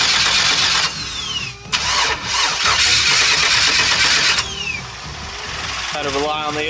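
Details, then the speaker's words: Budget LS-swapped Fox-body Mustang: cranks, catches, then very low uneven idle with backfire popping; owner later realized a wrong MAP sensor was skewing the fuelling. "the idling super low and a back Supply either not enough fuel or way too much air but we have no idea what is going on right now"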